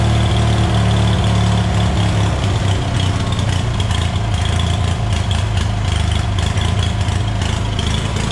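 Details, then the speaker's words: Hobart welder generator from a scrap yard, unused for years, after removing a stray bolt from the fan shroud: steady, even low drone with no rattle or knock, running only with choke half out, indicating a clogged carburetor main jet. "what i just showed you there was the choke i had to have it halfway pulled out for it to run which will tell you right away that the main jet in the carburetor is clogged so we know the motor seems to be running good"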